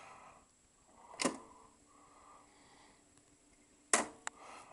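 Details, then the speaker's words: Philips N4414 reel-to-reel tape recorder, three motors, solenoid-assisted controls with electronic speed selection: two sharp clacks a few seconds apart, the second followed by a quick click, over a faint hum as buttons are pressed; normal solenoid operation. "It's a solenoid assisted thing, and you'll hear plenty of clonks and clacks when I press the buttons in."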